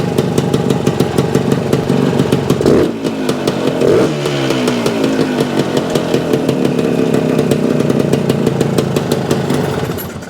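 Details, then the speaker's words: 1975 Suzuki TS-250 two-stroke, running after stator rewire and coil ground repair, exact cause unsure; idle set a little over base. Steady, even popping at slightly raised idle, no misses or knocks; running healthy. "here is our targeting at an idle a little over aisle yeah I think that's good"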